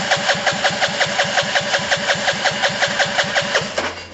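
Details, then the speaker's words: Gilera DNA 125 scooter, long non-starter with a new solenoid fitted: the starter chugs about five pulses a second with an airy whoosh and never fires. The spark plug lead was left disconnected, so no spark; cranks but no start. "my bad guys i left this plug off which is the spark"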